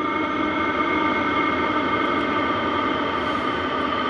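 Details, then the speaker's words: Hcalory 8KW diesel heater after switch-off: steady, even fan hum with no knocking or rattle as the fan keeps blowing to cool the glow plug and heating components. This is a normal shutdown cool-down. "device is shutting down it'll continue to blow the the fan to cool the glow plug down and all the different components the heating elements"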